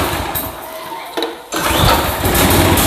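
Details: Old Craftsman walk-behind trimmer with Briggs & Stratton Quantum engine, after carburetor cleaning and drive repair, primed with no choke, at full throttle: quiet, then catches at once and climbs to a strong steady run; normal clean start.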